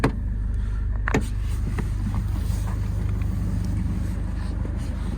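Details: 2008 Ford Fiesta Mk7 Zetec S 1.6 TDCi diesel, 144,000 miles, CAT-N repaired: a steady, even diesel clatter at idle with a low hum and no misses or knocks, so the engine idles healthy.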